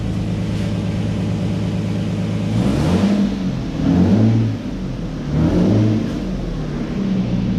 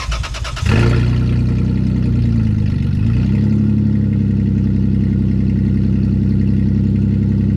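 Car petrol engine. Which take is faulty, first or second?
second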